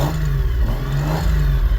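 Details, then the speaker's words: CD009-transmission drift car after fixing a suspected clutch/flywheel/transmission clatter: deep throaty engine revving through a couple of blips, no clatter or banging; earlier noise gone, normal CD009 noises remain. "It still makes CD09 noises, but whatever that other noise was a lot worse than the CD09 noise."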